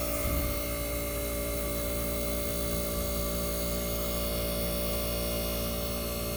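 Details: 1965 Fedders Weatherwheel air conditioner on high cool with the fan cut off: its Tecumseh AJM compressor gives a steady electrical hum and constant low drone with no knocks or rattles. The compressor runs smoothly.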